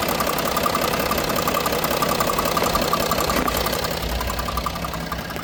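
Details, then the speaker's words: Range Rover Sport diesel at idle, owner told new turbo/engine needed: fast, fairly even fluttering rattle from the EGR vacuum solenoid, stopping when held or disconnected. "It's the EGR. The vacuum solenoid on the EGR. So if you hold it, it stops doing it. Or if I disconnect this, it will stop doing it."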